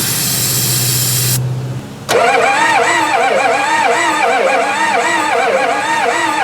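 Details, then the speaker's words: Four-door Bronco that sat about six years with a punctured fuel tank, now with fresh oil and fuel years old and possibly gelled. The starter wire is melting. A steady whirring crank rises and falls for several seconds but never catches; it seems not to be getting fuel. "yeah it cranks um doesn't sound like it's getting fuel right"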